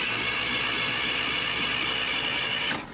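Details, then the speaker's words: Junkyard Chevy LUV camper, unknown time since last run: steady, even starter whir at about four beats per second, spins freely and sounds healthy; normal cranking. "definitely sounds like it cranks nice which is a plus"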